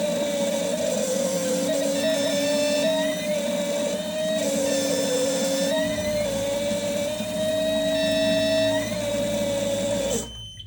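Steady fast buzzing chatter with a clear sustained tone, even and unbroken throughout; healthy injectors cracking and spraying consistently.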